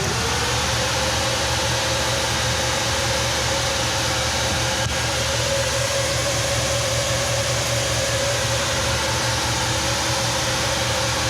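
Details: 1963 Chevy C10 with a 355ci V8 (350 bored .030 over) and Turbo 350, on only its second run after years sitting, vacuum leaks fixed and timing adjusted: even, unchanging idle under a steady hiss, no hunting or stumbling.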